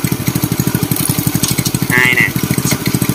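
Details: Customer's Indonesian Honda Win single-cylinder motorcycle after engine rebuild, clutch rebuilt, idling: even quick putter about thirteen beats a second, steady with no rattle or knock; smooth, no clutch whine, normal idle.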